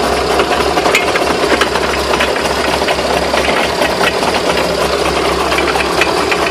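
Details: Sharp, irregular knocks and rattles over a steady run. Owner asks what the knocks are and whether the drive shafts could be bent. Cause suspected, not confirmed.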